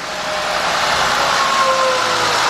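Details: 2000 Mercury Cougar, previously misfiring, restarted after ignition testing: even, steady idle with a faint whine and no stumble or skipped beats; engine running smoothly on all cylinders.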